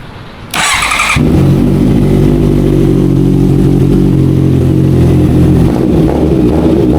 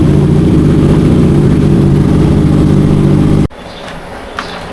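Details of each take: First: Honda CB650F converted to CBR650F fairing, after all four spark plugs replaced (one found bad on cylinder 4) and air filter cleaned: smooth, even idle with no stumbling as before; normal. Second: Honda CB650F converted to CBR650F fairing, customer reports stumbling while riding: deep, uneven, lumpy idle right after start; cylinder 4 not firing, spark plug or ignition coil to be checked.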